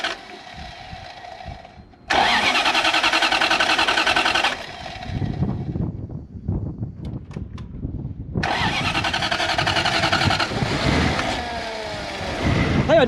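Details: Toyota 1UZ V8 swapped into an FJ40 Land Cruiser barn find, suspected seized injectors freed by tapping; engine catches quickly, revs strongly, then settles into an even run with no misfire or stumble.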